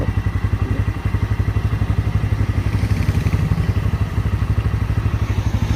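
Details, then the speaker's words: Bajaj Pulsar N160 with full clutch plate set, hub, tensioner, chain sprocket set and spark plug replaced: loud even thudding at idle, about four beats a second, with faint clatter; owner says no exhaust issue, source unclear. "कोई issue नहीं है exhaust में जब चलाते तो यहां से आवाज जा है ये"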